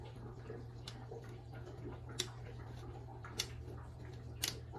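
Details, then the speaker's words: Yonex Percept 97 with worn strings: sharp, isolated clicks, about four in five seconds, as strings are pushed aside and snap into notches worn at the crossings; side strings no longer snap back, so it is due for restringing. "as I move these strings you'll hear some clicking sounds all right look hear that let's check the sweet spot here the clicks now check this"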